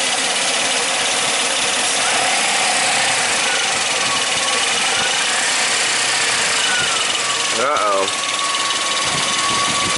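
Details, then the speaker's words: 2002 Suzuki XL-7 H27 2.7L V6 at 130,000 miles, idling with a light, busy marbles-in-a-tin rattle from the front/top of the engine: the #1 timing chain tensioner isn't taking up slack. Worsening over the last 10,000 miles, worst on cold start and hot idle. "like we got some marbles in the engine it's not not a good sound well guys today we're going to be working on my own 2002 Suzuki XL7 and it's got the infamous timing chain tensioner rattle issue"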